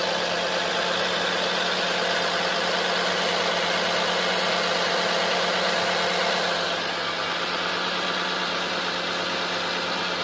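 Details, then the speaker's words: Vehicle idling with the hood open, power steering fluid at minimum and misting from a wet, leaking pump, steering heavy at times: a faint steady whine over an even idle, attributed to the power steering pump. "There's also a slight whining noise coming from what sounds like the power steering pump, obviously."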